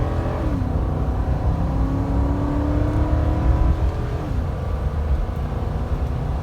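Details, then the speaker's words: 2005 Nissan Armada SE 5.6 V8, about 15 years old with nearly 200,000 miles, 0-60 hard acceleration with wheel spin: deep note climbs smoothly without misses or knocks; engine pulls strong and healthy after a small fire. "5.6 has got some guts not bad not bad for a big old 15 year old two hundred thousand mile beast"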